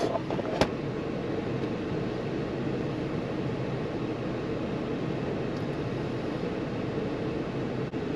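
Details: 2015 Jeep Cherokee 2.4, towed in as crank-no-start cranking fast like no compression; now steady smooth hum and road hiss, no stumble or misfire, engine running normally.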